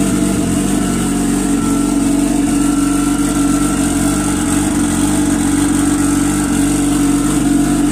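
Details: GPSHO Comp turbo watercraft engine at start and idle after a rebuild, updates and a test session. Even, steady drone at constant pitch with no knocks or misses. Normal running.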